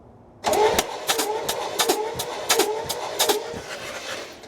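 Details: 1968 Oldsmobile Delmont 88, about 62,000 original miles, parked 36 years, being cranked for a compression check. The starter spins it in uneven chugging bursts, about 86 a minute, with no binding. It turns over freely and oil spurts from the open pressure port, showing oil pressure.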